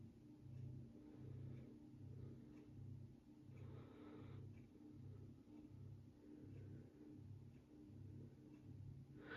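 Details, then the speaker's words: 52-inch GE-vent ceiling fan on low speed, pull-chain start: low droning hum swelling and fading, reminiscent of an old refrigerator; motor hum. "This thing makes a noise that makes me think of old refrigerators. I don't know why. It just does."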